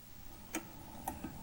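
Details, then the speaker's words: RCA RP-190 record changer after slider reinstalled and adjusted: a few light, separate mechanical clicks as it cycles, with no repeated rejecting; changer working normally. "and doesn't keep rejecting so that's good try it again move this toward the end of the record there we go and it's doing fine"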